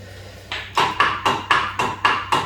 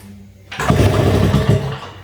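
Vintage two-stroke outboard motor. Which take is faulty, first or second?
first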